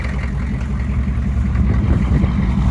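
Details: 6.5L diesel dually after an overnight block heater plug-in, with four glow plugs broken off: a deep, lumpy idle right after a cold start, steady and not badly misfiring. A slight exhaust leak is suspected near the broken glow plug.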